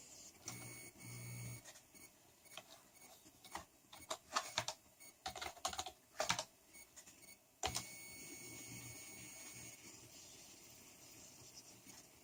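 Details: PC with a CPU or RAM problem suspected, recorded from a speaker on high-gain input: thin steady high-pitched whine with crackly bursts changing with computer activity; electrical interference in analog audio output, solved by switching to optical output to a DAC.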